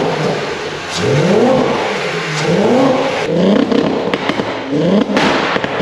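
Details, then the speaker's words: Mk1 Golf VR6, recently revived with correct starter motor, now up to operating temperature; clean throttle blips rising and falling smoothly with a few pops on the overrun, revving freely; normal running. "well we're all up to temperature let's see what it sounds like"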